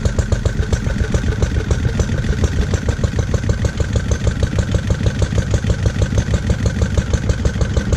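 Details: Lister D single-cylinder petrol engine, first start after 20+ years and restoration: single-cylinder thud about three beats a second, slightly uneven, jumpy spacing; owner suspects timing and carb settings need adjusting.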